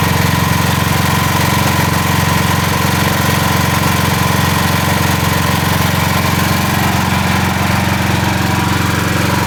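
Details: Building emergency standby generator running during June fire alarm and emergency systems testing, generator contactor engaged, fan running; even, steady engine drone with a smooth regular beat and no knocks or misses; generator sounds good.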